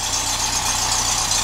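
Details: 1967 Beetle after a starter wire was repaired with a new connector and heat shrink: a steady, even idle with a smooth low hum under plenty of hiss, no misses or stumbles. It sounds like a healthy running engine.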